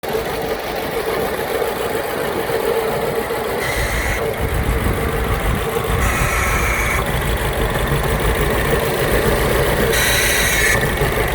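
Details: 2008 Mini Cooper Clubman S with misfires that persisted after new coils, spark plugs and fuel filter: an uneven idle with an irregular stumble and a recurring airy gasp every few seconds. The owner wonders if the gasp is the cause.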